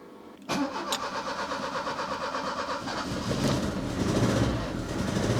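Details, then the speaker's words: 1984 Opel Ascona 1.6S (90 hp), after a poorly connected post was cleaned: lumpy, stumbling idle, running on two maybe three of four cylinders. Slightly better; owner plans a new distributor cap, rotor, spark plugs and wires. "nah it's still running on on two maybe three but not all four that's for sure"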